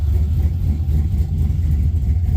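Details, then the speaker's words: Chevy truck with LS swap, carburetor spacer raising the fuel-injection elbow two inches, bigger tach fitted: deep, steady V8 burble at idle with an even beat and no ticks or knocks; normal idle. "she sound good man she sounds good man we just get her the moves"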